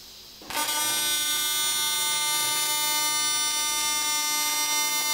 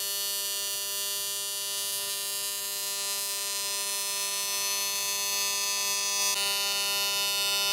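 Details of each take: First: AC TIG welder at 300 Hz AC frequency with balanced settings: arc strikes abruptly into a harsh, steady, high-pitched buzz that holds dead even; normal high-frequency AC TIG arc giving a narrower bead. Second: AC TIG welding with straight argon, in a video about welding copper pipe: a steady harsh buzzing arc with a coarse low pulse about three per second. The AC frequency is set too low and needs turning way up.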